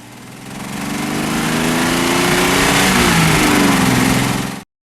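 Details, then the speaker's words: Datsun petrol engine revving under acceleration with a raspy, blatty exhaust note that turns harsh under load, from an exhaust leak not yet located. "you can hear in the audio that it's still as an exhaust leak that's a matter of finding it filling it and being okay"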